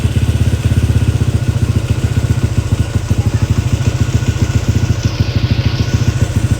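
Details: Motorcycle engine freshly built to full up-spec with a clutch conversion, on its first start; a fast, even popping idle of about nine beats a second with a deep low exhaust note, firing cleanly and holding steady.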